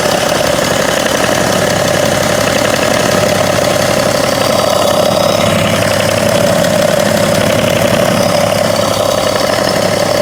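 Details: 2011 BMW 335d (286 hp), 205,000 km, warm idle: fast light ticking from the front of the engine, seemingly near the damper pulley. About 2 seconds every 3 seconds, only when hot; fades with A/C on or slight throttle, absent cold. Cause unknown.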